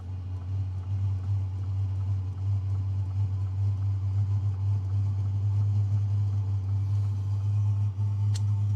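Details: Hcalory Toolbox Max diesel heater starting up: even low hum with a soft rushing whir building steadily, no knocks or rattles; normal start-up.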